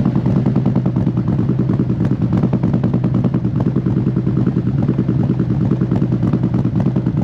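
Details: Used 2018 Harley-Davidson CVO Road Glide inspected before purchase: lumpy but steady V-twin idle around 1000 rpm, loud pipes, no ticking or knocking from the motor; healthy engine.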